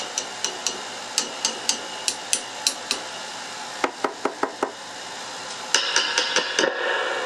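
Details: Fender Blues Junior III with high-frequency ringing; tapping the first 12AX7 preamp tube gives sharp metallic pings that ring on, about four per second; microphonic preamp tube.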